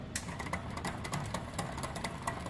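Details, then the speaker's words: QuietKat e-bike rear derailleur after adjustment; quick irregular clicking as chain skips on the cogs, most likely a bent derailleur hanger, possibly worn cassette (suspected, not confirmed); derailleur skipping. "that noise most likely a derailleur hanger yeah that's how you would adjust it there"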